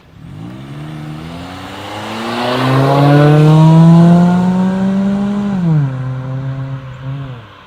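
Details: 2005 Honda Civic with a new budget eBay muffler on stock exhaust via adapters and flex pipe, driving: clean smooth tone climbing and easing off, no rasp, buzz or rattle; normal exhaust note.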